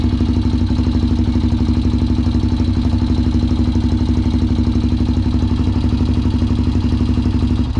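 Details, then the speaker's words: Honda 400EX ATV that sat for years, ridden hard, after carburetor and fuel petcock work: single-cylinder idle thumping about four times a second but stumbling now and then, a clear misfire at idle though better than before. "got a bit of a Miss in there doesn't it"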